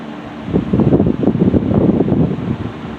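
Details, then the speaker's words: 1960s Phionex 16" box fan by Frigid, General Electric motor with oil ports, just oiled and serviced after running wonky; low speed after warm-up on high. Soft even air whoosh over low motor hum, no rattle or scrape; normal running. "This has a really nice motor sound to it too, by the way."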